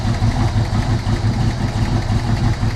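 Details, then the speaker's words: Ford Maverick idling, charging 13.8 volts: quick uneven light tick about three per second over steady low rumble; owner unsure if it's a small knock or a slight exhaust leak. "tell me if that could be a small little knock or could that be the exhaust the leaking a little bit"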